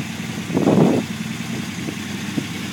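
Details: Unimog 404 on its first start after a rebuild, with new fuse boards and a rewire: a brief blip, then a steady, quiet idle with no knocks or rattles. Normal.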